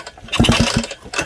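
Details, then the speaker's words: Suzuki DS100 with the CDI built into the coil, tested with a coil that bypasses the rest of the ignition: a few dull kick-start thumps with no firing or catch and no spark, and burnt magneto coils are found. "This bike right here, the CDI module is built into the coil. I got nothing."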